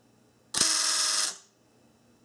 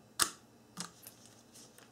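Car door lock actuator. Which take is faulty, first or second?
first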